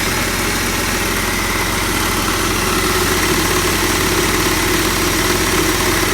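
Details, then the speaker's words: 2004 Jeep Grand Cherokee WJ 4.0 after new timing chain, radiator, condenser, AC and power-steering flush, fresh oil, wheels off ground: smooth even idle, no knocks, misses or tapping; tapping from loose water pump pulley fixed. "started up and the tapping noise that i was hearing yesterday is gone so i'm happy about that [Music] and it's running pretty good uh"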